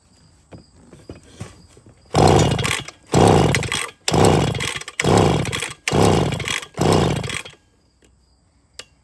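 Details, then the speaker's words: Scrapyard chainsaw that has compression, fueled with mix: six sharp pull-cord bursts about a second apart, each a brief rasp with no catch or firing; no-start, cause unknown. "I don't think so. I'm going to go with no. I've never worked on one of these. So, I guess Erica can Erica can find out what's wrong with it. Well, it won't run."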